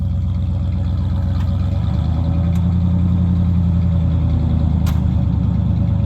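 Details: 1996 Ford F150 with 239,000 miles, during work on exhaust issues, with no smoke: a steady, even low idle with a smooth, consistent beat and no misses or knocks; normal, healthy idle.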